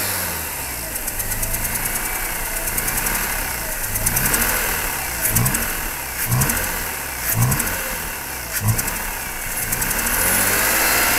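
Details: 2004 Mazda RX-8 at 110,000 km with a broken rotary side seal: lumpy, very rough idle with a rhythmic suck-and-thump air pulsation about once a second, getting louder when the throttle is blipped; power loss.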